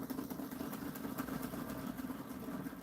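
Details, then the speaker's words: Pulse motor with cube rotor (alternating N/S), dual drive, 180 circuit with an extra coil, 26-gauge drives and 32-gauge triggers: much lower, deeper steady hum with fine rapid even coil-pulse ticking; normal running. "So you notice how that one is a much lower, deeper."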